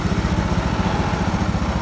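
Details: Carbureted automatic scooter after CVT work, where non-original parts were causing friction noise: small single settles into an even, quick putter with no rattle or scrape from the belt case; CVT noise gone.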